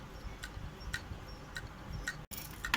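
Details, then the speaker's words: Faulty hard disk powered on, giving sharp, even ticks about twice a second over a low hum. The read/write head is sticking and not returning to its parking station instead of reading properly. "अब देखिए, जैसा कि आप देख रहे हैं कि इसका जो हेड है वो स्टेकिंग कर रहा है, मतलब प्रॉपर जो है अपने इसको, जो इसका स्टेशन रहता है, ये हेड स्टेशन यहाँ पर नहीं ठहर रहा है।"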